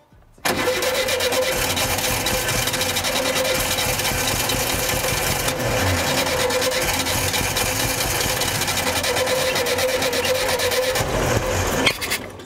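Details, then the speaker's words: 1975 VW Shorty bus, sat over 20 years: starter churns steadily about ten seconds without a catch; spark reaches the wires but none from the plugs; ran after spark plug work; crank no-start, no spark. "We just weren't getting any fire out of them spark plugs, apparently."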